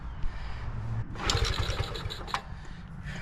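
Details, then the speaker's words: 1975 ST90, cold and not ridden in a long time, being kick-started: a few uneven pops as the engine catches briefly, then stumbles; cold-blooded hard start. "oh it's trying it's going to it's going to do it I feel it oh it's so cold blooded"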